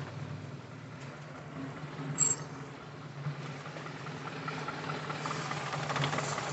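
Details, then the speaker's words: Suzuki Feroza carbureted engine, new air filter fitted: quiet low idle with uneven limping beat and stray clicks; owner first suspects dirty plugs, misfire traced to a long spark plug wire leaking spark to the body. "lagi modelnya pincang-bincang sedikit mungkin businya masih kotor ini"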